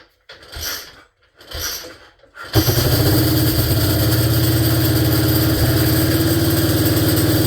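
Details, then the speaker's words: 1947 BMW R35 motorcycle started after sitting for years: after a few thumps the engine catches and runs with a fast, even mechanical clatter from the drivetrain; gearbox sounds terrible, cause unknown. "The gearbox sounds just terrible. I don't know what's what's wrong."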